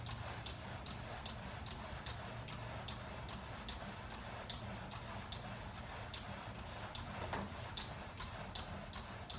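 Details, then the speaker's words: VersaClimber climbing machine, second unit, in use: short, sharp squeaks repeating with each stroke in a steady cycle over a faint low hum, same squeak as the first unit. "I just received my second post, set it up, and the same squeaking sound is audible."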